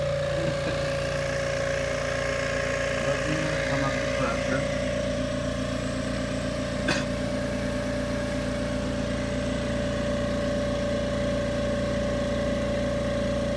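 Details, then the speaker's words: AMC 20 air compressor filling tank during cutout pressure switch adjustment; steady even hum, no knock; cut-out just below 80 psi, target 85 psi (about 6 bar), switch turned two turns clockwise to raise pressure. "gimme the pressure actually come up to just below 80 so we want to get to 85 which is a slightly below 6 bar"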